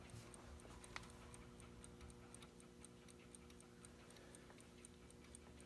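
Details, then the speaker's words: Wall pendulum clock needing oil, pendulum swung before service: quiet ticking at about seventy per minute with uneven tick-tock spacing; the clock is out of beat because it isn't level. "you want to make sure it's ticking in time. So it should be a nice even tick, tick, tick, tick. And this one's kind of going tick, tick, tick, tick, tick, tick."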